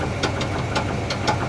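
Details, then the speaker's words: 1973 Chevrolet C10 350 four-speed manual idles rough with sharp, evenly spaced deep knocks about three a second that sometimes calm or vanish; seller said bad rod bearing, owner unsure. Cause suspected, not confirmed. "He said the motor had a little bit of a rattle. A little bit. does a little bit of a rattle. Yeah, I'm not sure what that is yet. He said it's a bad rod bearing."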